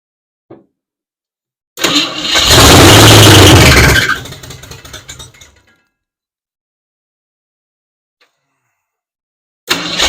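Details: 1967 Ford Mustang 289 V8, parked 22 years, revived: cranks, catches and revs about two seconds then stumbles and dies; number six hot but a dead cylinder lags, fuel supply very limited (hand-fed carburetor), starved fuel; dead-cylinder misfire.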